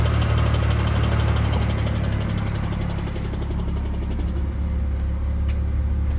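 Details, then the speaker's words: 2004 Ford Mustang convertible V6, manual transmission, idling in neutral: heavy low drone with a rough rattle about four per second, intermittent; owner suspects throw-out bearing or other clutch part, whole clutch to be replaced. "so that may be a throw out bearing maybe something else in the clutch but either way going to replace the whole thing"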